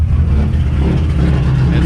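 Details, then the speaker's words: Subaru rally car with a newly built EJ257 2.5L, untuned, at first-start idle after cam break-in: deep, slightly lumpy but even rumble with no knocks or ticks, settling in, no check engine lights; normal. "really good [Music] especially once it settles into its place like that that's good no check engine lights or anything"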